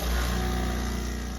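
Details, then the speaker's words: Quick Mill Arnos E61 espresso machine after boiler element replacement, plugged into a GFCI that didn't trip; loud steady buzzing hum as the pump fills the boiler; pump working normally. "didn't trip that's a good sign it'll pump water into the tank"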